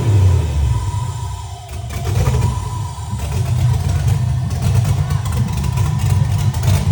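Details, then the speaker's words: 1987 BMW E30 M3 with a fully built Corvette LS1 V8 swap, first start-up; deep, lumpy rumble settles into a slightly low, uneven idle that needs raising (set to 1100 rpm, plugs then fouled). "as you can see, this thing runs, it sounds amazing. The idle is a little low."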